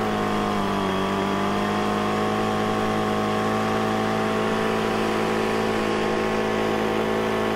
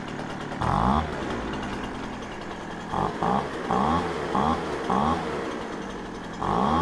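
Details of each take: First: Poulan Pro 25cc leaf blower, cold shop about 37°F, after carburetor and fuel system repair for start-then-stall: steady high wail at wide-open throttle with slight burble, falling away on release; high-speed mixture slightly rich. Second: Poulan Pro 25cc leaf blower that started then stalled, after carburetor and fuel system repair, warming up in a cold shop: even two-stroke idle buzz, quick blips rev cleanly and return without stumbling; healthy.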